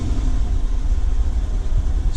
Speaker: So quiet when you compare it to my car. Like, you all know how my car is when it revs. Compare that to, like, it's so mild. I forgot how quiet these new Hemis are from the factory nowadays.